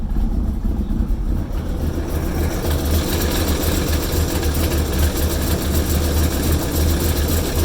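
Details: Engine at idle while oil pressure is read: a low, lumpy idle with an uneven, stumbling beat instead of a steady pulse; the engine is idling roughly.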